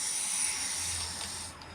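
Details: Free used air compressor under repair, before the fix: a steady high-pitched hiss fading after a second and a half as air leaks at the regulator and fittings. This was later fixed by cleaning the regulator and Teflon-taping the connections.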